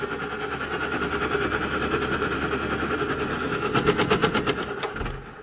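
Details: Navien NR-240A gas tankless water heater running: steady burner hum with uneven chattering pulse building to loud rapid bursts; irregular intake, intermittent error 12 flame-out, inconsistent hot water; cause unknown after cleaning and flow sensor replacement.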